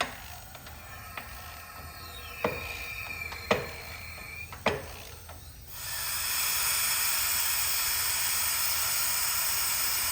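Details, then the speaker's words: John Deere 525E riding mower, Briggs & Stratton 24hp V-twin ELS, leak-down test on second cylinder: tool clicks, then steady airy hiss; 60% leakage versus 20% on the other cylinder, air audibly escaping, diagnosed as blown head gasket. "Look at there. 60% leakage. And I can hear the air coming out. Right there is going right there. Quick and easy diagnosis."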